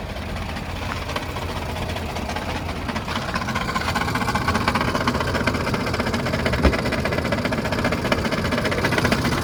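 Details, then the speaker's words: Car with no check-engine lights, rattling loudly at idle but quiet while driving, also with a fuel problem: busy, uneven metallic chatter over a steady idle, about two to three beats a second; timing chain suspected. "so I would say it's definitely at a timing chain and you have a fuel problem currently that can be resolved"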